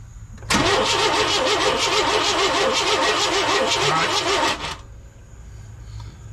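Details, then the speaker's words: 1998 Chevy C1500 work truck with a borrowed battery cranks steadily at about three turns a second for four seconds but never catches; no spark or power out of the coil, owner wonders if the coil is bad. "I got nothing out of the coil so I got no power coming from the coil so I wonder if we got a bad coil"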